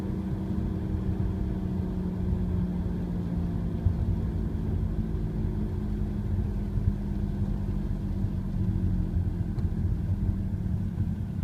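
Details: Audi A4 1.8 TFSI S-Line, six years old, 46,000 miles: low droning hum from front passenger side, increases with speed, worst around 30 mph, persists with clutch pressed or coasting in neutral, absent when revved stationary; cause unknown.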